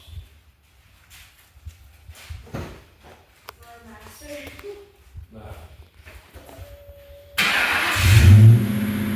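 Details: 1996 Ford Mustang GT convertible, 4.6 2V V8, automatic, stock H-pipe with Thrush chambered mufflers: quiet at first, then catches and revs with a deep, even rumble, clean and steady, no knocks or misses; normal running.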